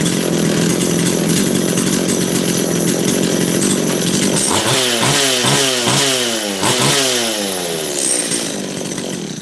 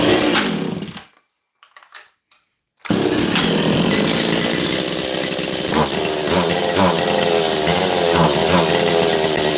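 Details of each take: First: Makita DCS540 chainsaw after half a turn more high jet and low jet set slightly rich of middle: crisp high revs drop cleanly to a steady, even idle; carburettor well set, running normally. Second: Makita DCS540 two-stroke chainsaw after low-jet and choke adjustment. A ragged buzz that cuts out, restarts and labours unevenly without climbing cleanly; a boggy, lean high-speed mixture. The owner thinks it possibly needs a carb kit.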